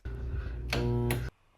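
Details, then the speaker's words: Garbage disposal in a rental kitchen, switched on while both sink and dishwasher fail to drain, with the P-trap found clear: steady low electrical hum with no spin-up or grinding, motor powered but stalled, so the disposal is jammed. "okay so clearly we heard a humming noise that means it's not working"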